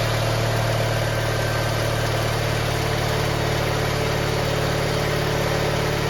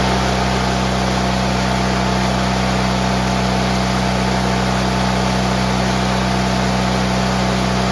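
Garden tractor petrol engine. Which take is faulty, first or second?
first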